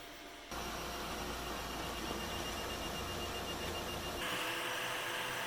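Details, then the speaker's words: Anycubic i3 Mega 3D printer with stock stepper drivers while printing: steady high electronic whine over busy motor chatter, before swapping in silent drivers and fans. "okay so today I want to be doing the silent mode for the any cubic I three mega and reason being is it's super loud so you can just hear the stepper motors whining the whole time it prints"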